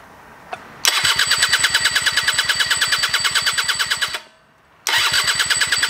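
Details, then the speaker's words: Rebuilt scooter two-stroke (old parts reused) at first start, no tank. Sharp, angry crackle at about three pops a second, cutting out and catching again; higher compression than the stock engine, running. "hey that runs for longer than i expected considering it doesn't have a fuel tank but it's definitely running it sounds pretty angry i can hear from the way the starter turns over it's definitely higher compression than the stock engine"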